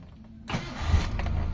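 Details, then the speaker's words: Vehicle that was hard starting with an out-of-tune, clogged carburettor, after carb cleaning and tuning: short crank, catches straight away and settles into a steady, quiet idle with no stumble; starts cleanly in one click. "Ayan mga boss ah madali na siyang paandarin. One click start na."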